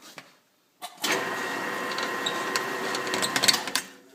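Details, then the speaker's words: Drill running a tap through a mounting hole for the generator on a wood chipper build, with dry squeaky chatter under load as the tap cuts; tap binding and sounding nasty, wants cutting oil. "that didn't sound good quit there that sounds a little squeaky and nasty"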